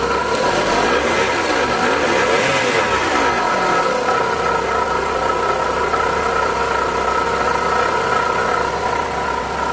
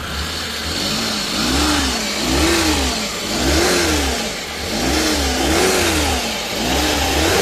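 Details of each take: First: Suzuki DA64V with K6A non-turbo petrol engine idling loudly: steady whirring whine from a worn water pump; also losing coolant, oil warning light on, radiator dirty; pump, oil sender, belt and radiator cap to be replaced. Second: Suzuki DA64V with a non-turbo K6A petrol engine, serviced for a noisy water pump, coolant loss, overheating, oil sender and belt: the engine is blipped up and down about once a second and revs smoothly with no knock or whine.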